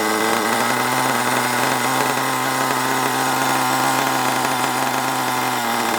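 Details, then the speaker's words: HPI Savage 21 nitro RC monster truck, old and long unused, after needle leaning and further tuning: high, buzzy engine holds a steady pitch with no stumbling or surging; runs evenly, though still needs a good drive. "that's a quite a good result at least it runs right now ish needs a good drive"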